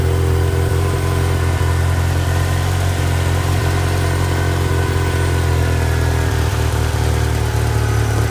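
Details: Ford Ranger 2.3 petrol at idle: uneven, sputtering, bogging idle with occasional stumbles, despite a cleaned MAF, new plugs, wires, coil pack, PCV valve, TPS and cleaned throttle; owner found a vacuum line and doesn't know where it connects.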